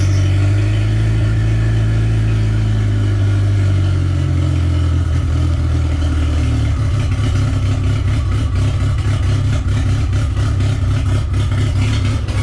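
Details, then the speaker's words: Project car engine running with no exhaust fitted (old exhaust rusted through and discarded), last transmission mount missing so engine moves too much; loud deep steady drone settling into a rough pulsing blat, running evenly with nothing obviously wrong. "but let me start it up for you and you can hear it run"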